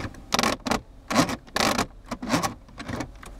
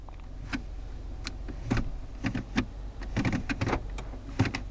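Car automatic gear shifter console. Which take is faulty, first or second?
first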